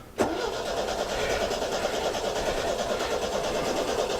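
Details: Classic MGB 1800cc engine, last run a few years earlier, cranks at an even rhythm but never catches or picks up speed; owner smells fuel and suspects it may be running out of fuel or need more choke. Cranking, no start.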